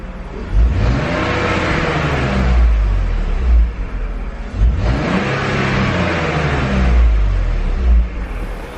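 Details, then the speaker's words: BMW E46 323ci being revved after fixing a no-start and misfire fault (number one coil or spark plug suspected): two clean, smooth blips with no stumble. It is still to be tested for misfire under load. "pretty smooth I'll have to take through the drive so then it gets under load and then see if it misfires under load"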